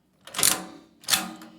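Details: Antique Recording Devices Co. time recording lock on a portable safe, serial 10292, Yale pin tumblers: two sharp mechanical clacks about two-thirds of a second apart as the lock trips and stamps; normal actuation.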